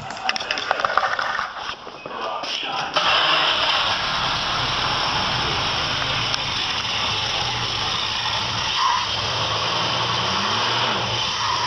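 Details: Studebaker pickup after replacing a noisy glass-pack with a conventional pickup muffler exhaust: engine cranks, catches and settles into a steady, even idle with a smooth exhaust note; normal idle.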